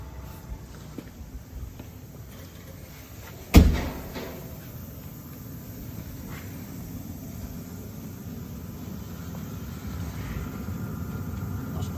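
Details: Webasto Airtop 2000 heater on first start-up test in a Citroen Ami, heard from inside the car with the door shut; after the door thud a low steady rumble builds evenly with no knocks. Normal running.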